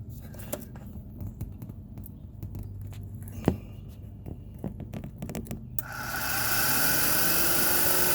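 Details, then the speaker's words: Can-Am Outlander Max overheating: radiator fan motor bench-tested with leads direct to its terminals; after clicks, a steady even rush of air holds, fan spinning freely; dirt had stuck the fan, motor still works. "And as you can hear, the fan is constantly blowing. So that tells me that all it was is that it had dirt stuck, which causing the fan to not rotate."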